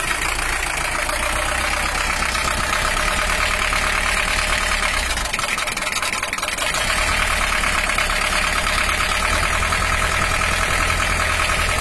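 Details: Toyota Hiace LH-11 diesel after repairing broken injection pump bracket and clutch mod, just started and warming up: harsh uneven idle with clattery knock about four times a second; sound still not right, being tuned; oil pressure normal at 5 bar.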